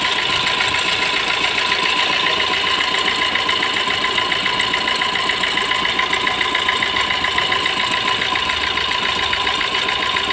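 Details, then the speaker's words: Fiat Punto diesel: fast, even metallic rattle about three and a half times a second at idle from the timing side on start-up; failing water pump bearing, fixed by replacing the water pump. "जब हम गाड़ी को start करते हैं तो timing वाली side से कुछ रेटिंग आता है"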